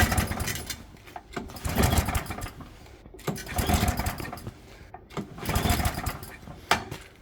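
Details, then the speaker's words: Atco Balmoral 20S 20-inch cylinder mower, choke on, fuel not turned on: repeated pull-cord cranking bursts about every two seconds with no firing; once fuel turned on it runs well (fuel line previously replaced). "I bet it's run out of fuel. Oh no, it's not. It's because I haven't. I didn't turn it on."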